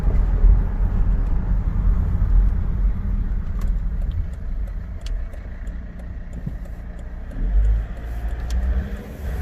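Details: Volvo XC90 2.4 D5 diesel: low rumble picks up a thin, steady whine only under acceleration, with hesitation on acceleration and a strong diesel smell inside the car; whining noise under acceleration.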